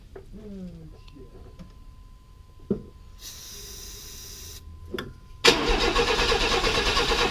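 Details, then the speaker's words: 1995 Chevy S10 Blazer, 4.3L Vortec V6: clicks and a spray hiss, then at about five seconds it catches and runs with a steady roar on starting fluid. This confirms the timing had been 180° out and is now corrected. "at least now we know it's going to bust off which proves our theory of it was 180° out"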